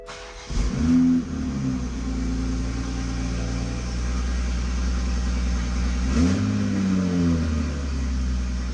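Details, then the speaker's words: Toyota MkV Supra after engine rebuild, first proper startup: deep, even idle with two clean throttle blips, no stumble; earlier misfire and fuel pressure loss on startup now gone, fuel pressure holding; normal running. "Magically, the misfire went away. So our loss of fuel pressure on startup was gone. It's maintaining fuel pressure. And now the misfire was gone and the engine runs perfectly smooth."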